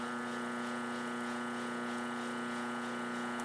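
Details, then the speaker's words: Single-phase 2 hp high-voltage AC motor on its final test run after work: smooth, steady low hum with constant pitch, no rubbing or knocking; running perfectly. "então observando aqui olha esse motor tá funcionando perfeitamente"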